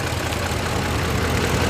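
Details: 2005 Ford F150 4x4 5.4L V8, code P0357, runs rough at idle with an uneven, stumbling low thump; misfire from low cylinder compression, with number 4 and likely number 7 also suspected low.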